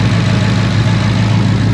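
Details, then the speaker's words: 2014 Ford Mustang V8, code P0308: deep idle with uneven stumbling beat as cylinder eight drops out; injector eight loses its signal from the computer, injector resistance within spec, plugs and coil swapped previously. "Les comento que la falla que presenta este carro Ah no el inyector número ocho pierde señal referente a la computadora"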